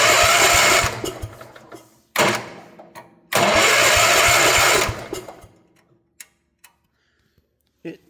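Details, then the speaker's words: 1972 Gravely Commercial 12 walk-behind, barn find that sat for years: short bursts of the starter turning the engine with no firing; no spark while cranking, only faint spark after releasing the key; owner plans to clean the points. "doesn't have spark when it's cranking, but it has spark after you let off the key."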